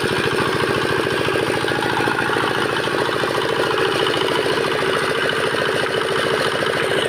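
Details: Bharat R175A single-cylinder diesel after full restoration from a seized-crank failure, freshly oiled; steady even chugging with a regular firing beat and no knocks or misses; sounds healthy.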